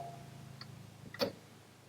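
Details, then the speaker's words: Car A/C after an electrical open circuit was fixed and a new compressor and clutch were fitted, compressor commanded on and off: a sharp single click as the clutch pulls in over a quiet background, showing it engages normally. "now when you see the command going off and then on you can actually see the compressor clutch engaging and you can hear it as well"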